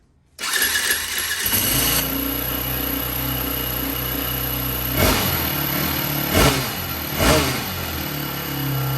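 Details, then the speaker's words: 2004 Yamaha WR450 single-cylinder, hot, after carburetor cleaning and valve adjustment, with the original exhaust: it catches and settles into a steady, dull, muffled run with a few soft blips. The exhaust is restricted. "Okay, this exhaust is way too restrictive."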